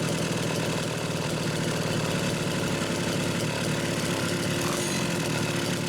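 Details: Homelite Super XL chainsaw, test run after rebuilding carburetor no. 3 with a new pump diaphragm. The idle speed was adjusted, and the throttle linkage slipped off so it is worked by hand. Steady, even fast two-stroke buzz, no stumbles or surging; normal running.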